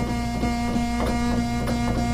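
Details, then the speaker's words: Oberheim OB-8 analog synth, voices 5–8, oscillator 1 switched back on after auto-tune: held notes sound sour and slightly distorted with a slow wavering beat; one oscillator well detuned, later fixed by replacing voice board capacitors. "you can hear how far out it is now turn isolator 2 back on and we'll tune an oscillator one up but you can also hear it sounds it's just a little bit distorted"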